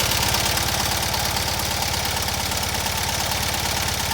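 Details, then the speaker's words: Fiat 126p twin started after sitting two months: revved, with a steady, quick, even beat and no misfire or knock; very smooth, normal revving. "Give it a rev. You can see how it runs."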